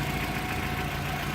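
Smooth, even idle with a steady low thrum and no knocks, ticks or misses; the engine sounds healthy.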